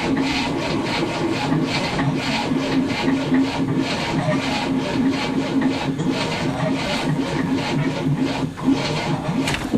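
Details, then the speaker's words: 1967 Cadillac, not started in 30 years, second battery, fuel fed from a gas can, spark present: slow laboured cranking, even pulses about three a second that never catch; the starter is too weak to spin it fast enough. "spark he's just not cranky fast enough to start"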